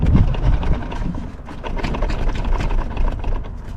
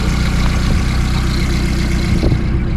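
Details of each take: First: VW Polo engine idling and revving with worn engine mount, bolt moving in its hole, before replacement: uneven heavy thumps and clunks around four per second as the engine rocks; worn engine mount. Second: VW Polo engine idling after work on it, checked for how much it rocks on its mounts: smooth even low idle with constant note, no clunks or shakes; healthy.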